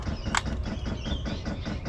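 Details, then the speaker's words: Ford Transit 350L camper-van auxiliary fuel pump, fed from a pickup mounted in the tank, priming via the up and down buttons pressed together to purge air from the line: fast, even ticking about eight per second over a low hum; normal. "the pump starts pumping don't know if you can hear it ticking away but it's ticking away quite"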